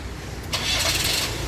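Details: Iveco 35S14 diesel van (2008 onward) after fitting a new starter motor, replacing a noisy one that could damage the timing chain kit: brief clean whir of cranking, then it fires almost at once, a smooth, quick normal start.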